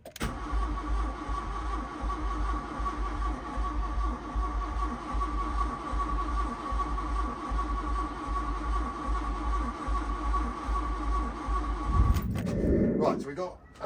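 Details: Mk1 VW Golf GLi Karmann Cabriolet parked 31 years: about twelve seconds of slow even cranking to build oil pressure, no firing; engine turns freely but never catches.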